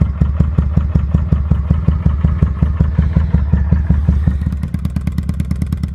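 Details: 2005 Kawasaki Vulcan 800 quick startup before sale: even, lumpy V-twin thump at idle quickening cleanly on throttle blips, no knocks or misses; normal idle and revs.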